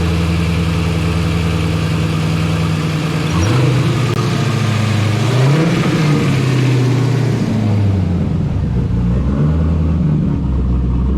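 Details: Turbo LS-swapped Trans Am, first drive after lifter and head gasket work, about 150 miles on setup: deep rough rumble revving under load before the engine threw a rod and locked up. Rod knock.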